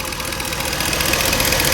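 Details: Ford F-150 4.6 V8 on first start after rebuild; steady warm idle with a fine, fast light tick, which the owner says is fuel injectors, not lifters. Camshaft position sensor code is present; no heavy knock.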